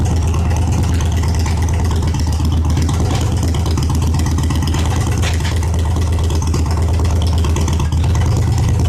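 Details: Reassembled trike engine started with the exhaust not yet fully refitted: steady even low rumble with a deep exhaust note and no knocks or misses; runs smoothly.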